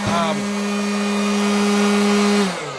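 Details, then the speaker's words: Hot air corn popper (auto-rotate type, no on/off switch) no longer putting out like it used to: steady high motor whine with buzzy rattling edge, dropping at switch-off; vibrates excessively, bearings/bushings suspected shot, spinning it away from the bowl. "What it does is it vibrates a lot, and the bearings, sounds like the bearings are probably bushings. Who are we kidding? Are shot in it."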